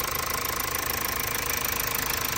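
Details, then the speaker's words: Mazda CX-5 diesel with overheating problem, engine just reinstalled, coolant and oil checked, started after bleeding air from fuel system: even regular diesel clatter at steady idle, no misses, surging or knocks; runs smoothly. "เพราะว่ารุ่นนี้เวลาสตาร์ทนะต้องไล่ระบบอากาศก่อนนะไล่อากาศออกจากน้ำมันก่อนถึงสตาร์ทติดนะครับติดทึ้งเลยนะครับ"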